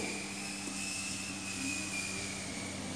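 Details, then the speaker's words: 2008 Peugeot 206 1.4 8V Flex radiator cooling fan commanded to second (high) speed by scanner; the first speed was not engaging. Fan starts slowly, then a strong steady whooshing rush and constant hum; high speed normal. "começa lento olha agora a e olha a velocidade Olha a força agora tá essa é o segundo"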